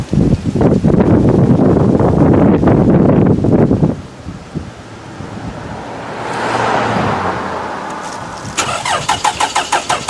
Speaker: I'm going to crank it with the metal key. It won't fire, but you'll see the starter is just going to I mean, the battery is just going to go right out.